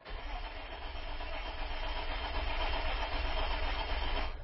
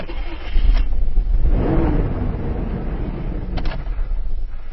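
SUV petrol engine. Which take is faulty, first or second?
first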